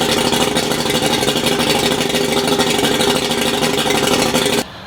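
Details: Replacement outboard motor on a boat test run, swapped in after the old one's cylinder and piston failed; holds a steady, even buzz with no misses or knocking, then shuts off cleanly; sounds healthy.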